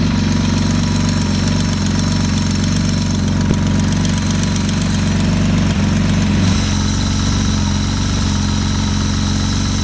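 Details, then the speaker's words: 1977 Porsche 911 barn find, first start after long storage, very smoky from oil burning off, not yet at temperature: uneven lumpy idle with loose irregular pulsing beat, slowly evening out and settling; cause of roughness not confirmed. "it's taking a little while to kind of even out but it's settling down a ton you can see it's just smoky it's so smoky in there but it is idling"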